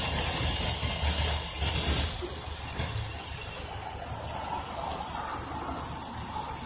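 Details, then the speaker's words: 2006 Chevy Express 3500 van, described as well cared for, microphone at the engine under the hood: soft, smooth idle under hiss and background chatter, with no knocks or ticks; normal idle. "It's purring along beautifully. And seriously, this is a well taken care of van."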